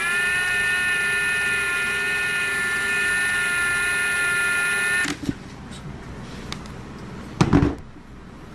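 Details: 2023 Ridgid R86211 18V Octane impact wrench: steady low-pitched motor whine with no hammering, then cutting out; an intermittent fault where it runs only at slow speed whatever the Auto or speed setting and battery.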